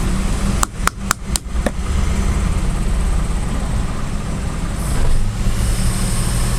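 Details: Daihatsu Xenia/Toyota Avanza old 1000 cc, warm, after cleaning the ISC valve and pulling the EFI fuse to let it relearn, restarted: a few sharp clicks, then a steady, even idle with no hunting; rpm back to normal.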